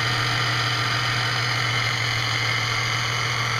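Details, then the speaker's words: 1996 Ford Mustang 3.8L V6, first start after replacing the timing chain cover gasket for an oil leak and reassembling the water pump, pulleys and drive belt: steady idle with a thin, constant high whine; owner thinks the power steering pump is making noise. "Sounds like my power steering pump's making a little bit of noise."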